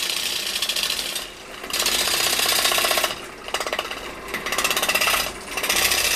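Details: Large outboard turning blank balanced to limit vibration, lathe's underpowered motor at its lowest speed: bursts of fast, even tool chatter about every 1.5 seconds with short lulls; smooth interrupted cut, no heavy jitter.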